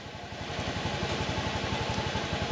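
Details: Fuel-injected motorcycle idling at stationary rpm with throttle sensor 0.429 V, battery 14 V and engine temperature rising, read on JDIAG M100; steady even idle, fast regular exhaust pulses, no knocks or rattles; normal idle.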